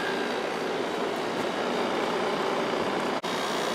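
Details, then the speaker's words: 1995 Kenmore 5,450 BTU window AC, Sanyo compressor under pressure after about 10 minutes of running, drawing 3.46 A, with GE PSC fan: steady even hum and smooth fan rush, no knocks or rattles, normal compressor running. "here's how the compressor sounds while it's under pressure and we're at 3.46 it's been running for probably about 10 minutes now"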